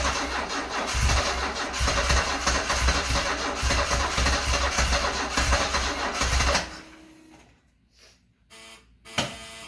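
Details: Stored-30-years, 10K-original 1974 Alfa Romeo Spider Veloce on about its 5th–6th start attempt: the starter cranks steadily at about 3.5 pulses a second for six seconds without firing, then stops.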